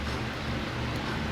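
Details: Whirlpool inverter top-load washer after gearbox replacement: a steady, even low hum with no knocking or grinding in wash and spin; the old gearbox had leaked and was noisy.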